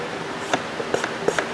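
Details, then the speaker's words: 2016 Ford Explorer 3.7L engine in the subframe, oil primer on the pressure port with about a quart in: soft wet squishes and pops, roughly four a second, no knock or scrape, as the timing chain tensioner pumps up normally. "can hear it squishing the oil out of there so give her a little more got about a quart in the primer"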